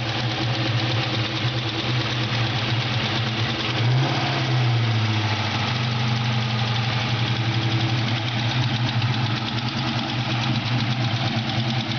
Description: mustang gt 4.6l ticking sound